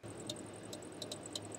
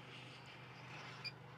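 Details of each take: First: MAXX AirFan Deluxe roof fan in a Winnebago Revel van running: low hum with sharp high chirp about twice a second, worst at low speeds; worn motor bearings (608Z), later replaced with 608-2RS. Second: MAXX AirFan Deluxe in a Winnebago Revel at 40% speed after replacing motor bearings (608Z with 608-2RS): only soft steady air rush, no squeak from the motor; fan now quiet.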